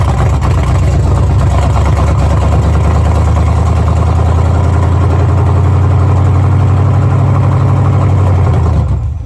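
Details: Squarebody truck V8 on its Rochester Quadrajet carb, battery low and being charged, before swapping to an Edelbrock 1406: deep rumble holds a low, uneven lope without smoothing out; running rough, cause not yet pinned down.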